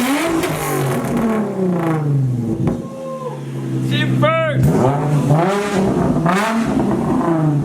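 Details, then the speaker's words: Infiniti G35 first start after three months of rewiring, on old gas: engine snaps up through several clean revs and drops back smoothly without misses; normal revving. "Dude, the motor sounds great. The motor sounds good."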